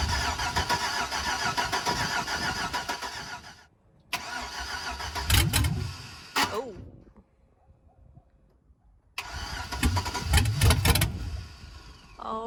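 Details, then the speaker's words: 2005 Chevrolet Suburban LS V8 donor after adding fuel: cranks and catches into a ragged run, dies, then catches and stumbles again without settling to idle; fuel issue suspected, ignition switch also faulty. "something's trying to take off [Music] it's got to be a fuel issue"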